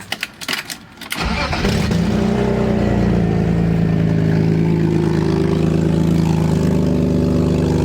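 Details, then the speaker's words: BMW E36 drift car after cold start, before exhaust-putty patch; loud deep chuffing tractor-like rumble, quieter once warm but bad while driving; exhaust leak. "yeah so quiet down a bit after it actually gets up to temp but driving down the road it's pretty bad we'll get some gas it sounds terrible sounds like a tractor"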